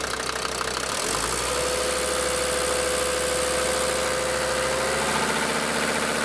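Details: DB29 diesel, rough idle with throttle blip, holds revs fairly well, foam and small bubbles in return line after about 3 minutes: sharp rattly knock about four times a second continuing through blip; suspected injector knock, unconfirmed.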